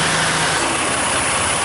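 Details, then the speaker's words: 2004 Mercury Monterey after a compressor replacement, engine idling with A/C on max while recharging (1 lb 2 oz of 3 lb 5 oz in): the new compressor cycles, staying on longer each time, with an even hum and no rattle or squeal. Normal operation. "Cycling. The compressor staying on a little bit longer each time. I could hear it."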